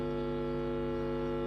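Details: Power amplifier with one side dead: the right channel gives only a steady low mains hum and no music while the left channel plays.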